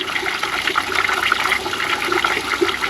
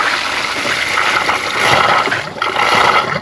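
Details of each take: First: Ram 2500 with low cabin heat, heater core being flushed with a water hose at the disconnected inlet. A steady, unbroken rush of water with an even hiss just after a blockage or air gap blew out. The core now flows freely. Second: Ram 2500 with low cabin heat: a water hose is held on the disconnected heater core inlet hose to flush the core. Irregular gushing and sputtering water with sudden surges. A blowout occurred as if the core was plugged or had a large air gap.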